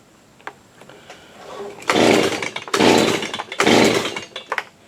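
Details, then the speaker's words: Stihl BG85C leaf blower after carburetor replacement, choked, primed: three pull-cord rasps about a second apart with no firing; won't start because the stop switch is off. "oh yep it's off I gotta turn it off oops how stupid huh I had to kill on it"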